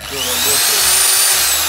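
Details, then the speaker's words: Q-Grant 650 BKN drill after replacing the broken trigger button and reverse switch: steady high motor whine spins up and holds even with no rattle or stutter, reverse working; drill healthy. "проверим сейчас чтобы вам видно было реверс работает тут году только делаем [музыка] парень и в обратку"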